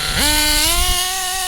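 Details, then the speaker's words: HPI 3.5 nitro Trophy buggy: after revving to clear oil build-up, punching from tick-over jumps straight to a high, steady scream with no hesitation; clean throttle response. Long idling would build oil and cause a cough. "No hesitation, absolutely perfect. If we let it tick over for a bit, it will build up oil and it will have a bit of a cough."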